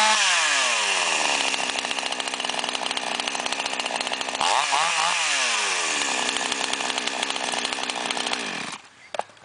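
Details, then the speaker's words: Flooded two-stroke chainsaw after draining fuel from the crankcase and drying the spark plug: it starts cleanly, revs up and settles evenly, responding smoothly to throttle blips. Normal running. "видим, пила в отличном состоянии и всё готово к работе."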